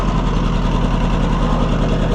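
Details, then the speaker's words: Oliver 550 tractor at idle just after flooded start: low lumpy idle with uneven thump and skipped firing pulse, running poorly with a miss, later traced to number 2 cylinder not firing; dead cylinder misfire at idle. "I don't like the way that's running. It's got a miss in it. Yeah, it's got a problem."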